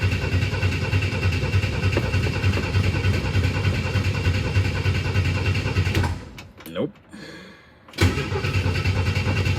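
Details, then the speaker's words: 1962 Chevy II that stumbled and died after running out of fuel, new coil fitted (primary about 1.9 ohm, secondary about 9100 ohm): the starter churns repeatedly without firing, even on ether. A fuel supply problem is suspected. "no fire come on didn't even like The Ether we're gonna see if we have a fuel supply problem"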